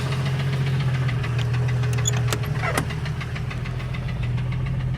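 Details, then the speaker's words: 1989 Jeep Cherokee XJ, Renix 4.0L stroked to 4.6L I6, AW4: a dull, loose knock tapping with engine rotation over a deep idle rumble, temperatures getting a little high; internal engine knock, cause suspected, not confirmed. "So that doesn't sound too good. Yeah. Doesn't sound good at all."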